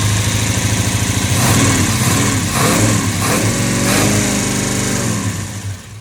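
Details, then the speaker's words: $100 Chevy 350 V8 for a 1972 Chevy 4x4 truck, first run with valve covers off: uneven, lumpy running with irregular pulses, stumbling revs and backfiring. It runs rough; timing isn't set, a poor carburetor blew out, and it needs tuning and probably a proper fuel supply. "Sure wants to go. It's alive! It's alive! And it's backfiring. Yeah, it's not timed at all."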